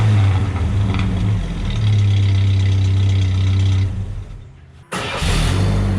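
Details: Truck startup after the muffler replacement, cat already removed; owner thinks it may be overheating. Deep, even rumble with clean blips and a brief drop and restart, no leak ticking; a normal exhaust note.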